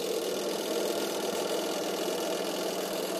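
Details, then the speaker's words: Sharp two-tub manual washing machine whose wash section is dead (timer suspected): the spin-dryer runs at constant speed with a smooth, even mid-pitched hum and no knocking or scraping; it is working normally. "memang masih normal untuk pengeringnya"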